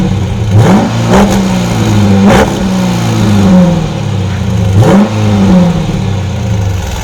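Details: 2020 Dodge Durango RT V8 with a newly installed 2018 Corsa exhaust, first start: deep rumble rises and falls over three quick throttle blips, settling back to idle cleanly; healthy, no rattles or misfires.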